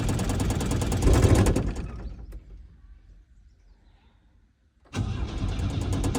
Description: Victoria tries to start her old Chevette but it won't start.. she stops trying so as to not damage the starter motor.